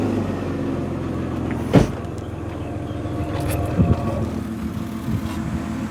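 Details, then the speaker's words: Car due for its MOT, idling: deep heavy exhaust rumble with occasional thumps, far too loud; exhaust leak suspected, likely the big silencer, which needs replacing. "meaty that's got to be leaking somewhere you want to put your hand oh yes put my hand on the exhaust and uh let's see if we can see where this is leaking"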